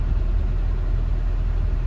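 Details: Renault Twingo II small petrol engine after replacing all four spark plugs for P0300 misfire with water found: steady, even low idle rumble, no stumbles; code did not return after test drive.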